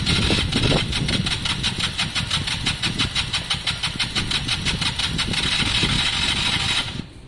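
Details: KSR motorcycle after valve adjustment, cranking with fuel and starting spray on a weak battery: quick, even cranking about three turns a second with uneven chuffs as it almost catches, then stops; cranks but no start, weak battery suspected.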